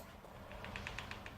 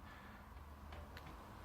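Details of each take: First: Quick run of light, sharp ticks, about eight a second, as a sliding wardrobe door moves: the top roller has a burr or bump on it, possibly from assembly or a factory defect. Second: Sliding wardrobe door glides with a soft, low rumble after fixing a top roller that had a nicked edge and clicked; no clicking or crackling now.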